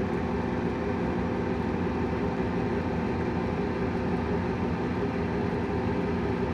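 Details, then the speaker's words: Gas furnace at startup: draft inducer comes on and must build enough pressure to click the pressure switch; steady low hum as the fan spins up and holds even speed, no rattles or scraping; normal inducer running before igniter glow. "alright now we've turned on the furnace draft inducer comes on it has to create enough pressure to click this switch you'll hear it"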